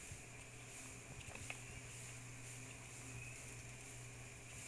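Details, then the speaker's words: Electric fan motor on mains: a steady low hum and iron vibration buzz with no spin-up. The motor won't turn; the capacitor or the shaft bushing was suspected, the capacitor was replaced, and the winding was found open. "o motor ficou vibrando deixa eu ver se dá para pegar o som um barulho de vibração né no ferro né e ele não gira"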